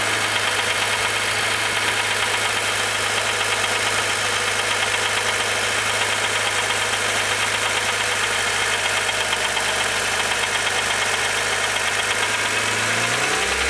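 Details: Rebuilt S20 transmission: steady, even, gritty grinding at idle that goes away when the clutch is pressed in. Grinding noise at idle, gearbox.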